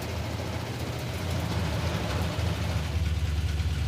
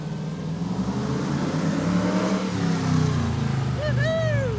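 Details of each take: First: Lumpy V8 idle in the Hemi Gremlin on a road trip, running hot at 210–220; a light, quick lifter tick rides over the rumble, with worry about valvetrain noise. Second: Hemi V8 Gremlin on street run after voltage fix for rev-limiting problem: deep V8 pulls up hard and holds revs cleanly without cutting out, car alarm chirping at end; rev limiter issue fixed, healthy full-throttle run.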